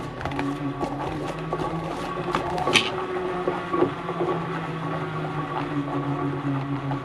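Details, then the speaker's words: Wahoo Kickr V2 smart trainer flywheel spinning and winding down: steady hum with a rough, gritty rattle from crunchy original flywheel bearings, slightly quieter while coasting down; bearings to be replaced. "Still sounds like a pack of spanders. It sounds a bit quieter winding down."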